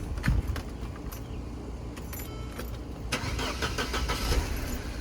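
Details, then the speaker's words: Mercedes with corrosion, fuel pump unpowered, later traced to missing fuse 42; engine cranks repeatedly without catching, no pump whine heard; fuel pump not running, missing fuse. "testing. I think I hear a few No, I don't hear it. So, it look like I have some more diagnostics to [Music] do."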